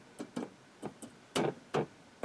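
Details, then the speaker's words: RCA Victor R35 tube radio during voltage rechecks: sharp, uneven intermittent ticks over a quiet background, about seven in two and a half seconds; owner suspects something loose or a noisy tube, a recurring noise. "I got something loose I've been I've chased that noise down down several times before and it seems to have come back H well anyway maybe I got a noisy tube"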